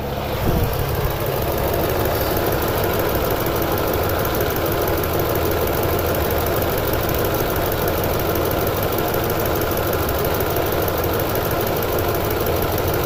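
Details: 2009 Toyota Tundra 5.7L V8 idling with codes P0300, P0305 and P0307, VSC and traction lights on, and 4Lo flashing; uneven, lumpy beat with stumbles, a misfiring cylinder, and an injector suspected after scope testing.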